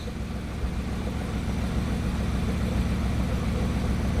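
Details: Warm Bugatti engine idling smoothly and evenly, with no stumbles, after swapping parts side to side to chase a random misfire. No fault codes showed and the misfire did not reappear warm; a cold-start retest is still needed.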